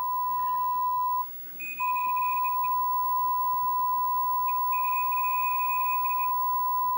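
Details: MACH 3 arcade game fitted with a Dexter laserdisc replacement board, audio decoder test after adjusting R6: a clean, steady high beep holding evenly apart from one brief dropout, as good as this decoder gets.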